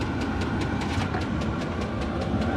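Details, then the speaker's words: Chinese 8 kW diesel heater running from a small power supply: steady fan rush with a crisp, regular fuel-pump tick about five times a second; heater runs smoothly once started. "anyway so it's running pretty good off of my little power supply far once it starts"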